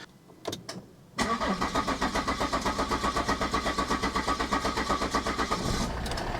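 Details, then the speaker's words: 2012 Volvo XC60 D5 AWD diesel, first start just after fuel, oil and air filter change: short crank, catches, held at high idle with a pulsing beat; owner expects possible lumpy running from air in the fuel system needing bleeding. "We go. It's kicked into life. May run a little bit lumpy. Just going to give it a bit of a high idle."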